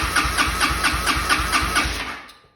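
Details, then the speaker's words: 2006 Arctic Cat DVX 250 ATV with rebuilt carburetor and new fully charged battery, no start: starter cranks in an even chug, about four a second, but never catches; no spark, multimeter diagnosis found a bad ignition coil, fixed by replacing it. "over but uh it doesn't feel like doesn't seem like there's a spark"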